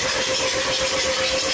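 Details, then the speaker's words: 2003 VW B5 TDI diesel stalled after a deep puddle; starter whir with airy hissing and no firing, engine spinning freely with glow plugs out to push out ingested water: hydrolocked engine. "so I took the glow plugs out and I gave it a bit of a crank and I already saw some water coming out so I'm gonna crank it a little bit more"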